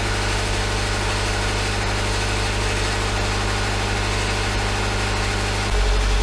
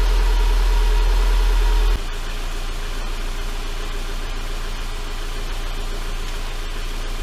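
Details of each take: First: 2011 Subaru Impreza, rebuilt EJ253 non-AVLS block with AVLS heads after rod bearing failure: steady, even flat-four idle, rod knock gone, only a light exhaust heat shield rattle; engine runs well with no check engine light. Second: 2011 Subaru Impreza, EJ253 non-AVLS block with AVLS heads, first start after rod-bearing-failure engine rebuild; idle with a light, fast tinny buzz; front exhaust heat shield rattling, loosened from jarring during the work.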